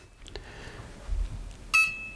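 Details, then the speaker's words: DIY propeller-driven electric skateboard with brushless motor and FMS 60A ESC on a 4S battery via XT90, transmitter on with throttle at zero: short clean beeps, the first series before programming, the second when armed; normal arming sequence. "now that's the beeps you're going to hear before you program it that second series of beeps is what you're going to hear when it's actually armed and engaged"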